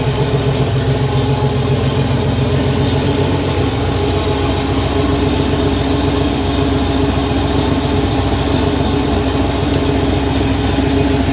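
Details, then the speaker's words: Rebuilt Porsche 911 3.2 Carrera flat-six, second or third start, cold start running slightly rich, no smoke, Monty muffler: smooth even idle with a steady low exhaust note, not obnoxious, no knocks or misses; normal idle. "That Monty muffler sounds fantastic. It's got a little bit of a note to it, but it's not obnoxious at all. That's just the perfect level of noise."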